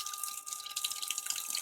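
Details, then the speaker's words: House water pressure regulator near water heater: steady high hum over rushing water hiss as flow passes the diaphragm and makes it vibrate, tied to water hammer with a fluctuating gauge. "that humming is coming from here that means there's water passing by the diaphragm and it's causing vibration here you can feel vibrating"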